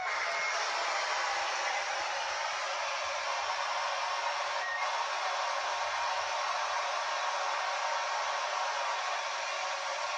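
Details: Yaesu handheld radio on AM 146.825 MHz with a homemade 2-meter yagi picks up a steady, loud hiss with a faint buzz, RF interference radiated by a Samsung monitor, the main noise source affecting the HF radio.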